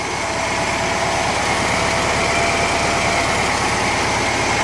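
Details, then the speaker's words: 1950s air-cooled VW flat-four built from two junk engines, idling on old plugs, points and a mismatched condenser: a steady, even idle with a smooth regular beat, quiet generator, no exhaust leaks, no knocks or misses. Normal idle. "Nice. Sounds good. That's with all old tune-up parts."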